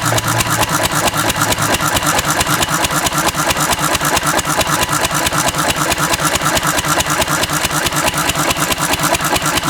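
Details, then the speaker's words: Antique Cushman Cub 4-stroke 3 hp throttle-governed stationary single running on about 90% Zippo lighter fluid: crisp, even firing at a fast steady beat with no misses or stumbles; normal running. "That's as close to pure as she's going to get. It's probably 90% Zippo fluid. I'm going to flood it and see, but it runs just fine."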